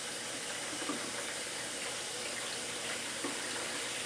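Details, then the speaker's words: GE Profile dishwasher with low water level, timed fill: steady hissing rush of water through the open inlet valve, no pump or motor, low water fill. "can't quite hear the switch because of the water coming in but if I'm just going to look for about a/4 of an inch of is still down we're right at the bottom of the heating element 2 minutes 43 seconds"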